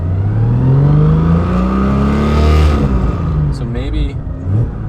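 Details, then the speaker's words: Barra-swapped Mustang GT350 on a lift, free-revved to find harmonics: deep droning rumble swelling through the revs, pilot bearing possibly loud; vibration from loose clutch and bellhousing bolts. "I don't know, but I just want to take time and work through the issue, bless you, to see if we can figure out what's actually going on. It does kind of sound like the pilot bearing's kind of loud."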